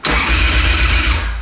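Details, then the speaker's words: Sucker Punch Sally chopper after fitting a new upgraded starter. Fast, powerful cranking with deep, even pulses: the engine spins over much stronger than with the old starter. "it sounds so much better cranking up though yeah there's so much power now there's so much stronger"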